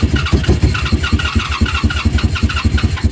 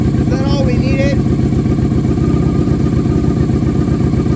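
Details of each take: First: 1987 Honda Super Magna with new battery and spark plugs, warming up with choke fully off: probably too much throttle makes a lumpy, loping beat that sags and stumbles, then it dies. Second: 1987 Honda Super Magna project after new battery and cleaned spark plugs, choke partly on, warming up; started easily, steady even idle with no misses, less smoke than before; now idles on its own, which it never did.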